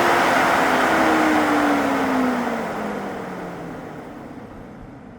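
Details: Jeep Wrangler 4xe charging at 120V in 30°C (86°F) heat: loud airy fan rush with humming compressor tone that drops in pitch as it winds down; normal cooling sound, continues until charge ends or unplugged.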